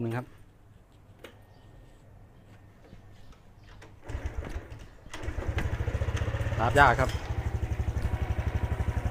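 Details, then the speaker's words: Honda Wave 110i before repair, hard to start and stalling on acceleration: after a pause it catches and chugs in uneven pulses about four a second, barely holding idle and dying by itself. A worn spark plug cap is suspected. "รอบเดินเบาดับเองปัญหาประมาณนี้"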